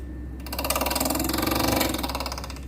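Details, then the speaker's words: Amplifier in protection mode with a suspected shorted transistor, switched on with that channel's high-voltage supply removed: a fast, steady ticking rattle as the cooling fan seems to catch on something; one fan was later found broken and needing replacement. "इसका fan शायद किधर फंस रहा है, इसमें आवाज़ आ रही है।"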